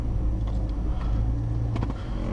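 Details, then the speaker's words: 2009 GMC Sierra (GMT900) in cab at low idle, foot on brake in park, after fitting stiff poly motor mounts: deep steady rumble and vibration booming into cabin; above idle fine; idle drone from stiff engine mounts. "You know, foot on the brake at a stop sign, it vibrates pretty bad."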